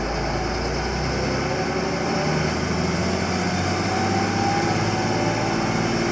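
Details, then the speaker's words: Krone 1290 Big Pack baler on tractor PTO, hydraulic flywheel starter, at full speed 2250–2290 rpm: steady, even mechanical roar with no knocks, squeals or hitches. The baler is running normally. "now she's running at full speed 2250 RPMs actually 2290 and she does her thing just like it's supposed to"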